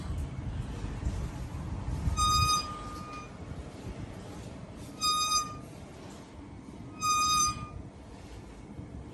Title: Metal grinding noise when turning steering wheel on an SE